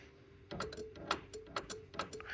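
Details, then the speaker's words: 1940s Chevy with a Bare Bones universal harness and built-in horn relay: grounding the horn switch gives sharp, irregular relay clicks with no horn tone. The horn worked two or three times, then went back to only clicking. "and I just tried this a few minutes ago and the Horn uh did go for two or three times and now it just clicks again"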